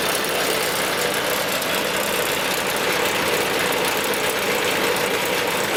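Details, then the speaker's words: Newly bought used tractor with engine trouble and no hydraulic pump; loud rough running with harsh, uneven beat and hissy edge, a definite miss. "And it's got a miss in it, definite miss in it, so it's got engine trouble and it's got no hydraulic pump."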